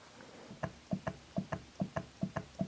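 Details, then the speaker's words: BMW E34 V8 heater valve solenoids on a quiet bench, tested after rebuild-kit parts installed: crisp sharp clicks in quick pairs, about three pairs a second, both solenoids snapping open and shut; normal operation. "Looks like we got a good heartbeat out of the patient."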